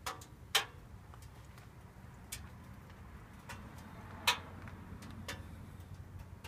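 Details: Subaru right after engine shutdown: irregular light ticks, a few per second and some louder, over a quiet background. Owner wonders whether it is just the engine cooling; cause not determined.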